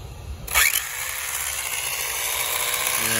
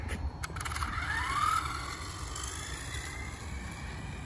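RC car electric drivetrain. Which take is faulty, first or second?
first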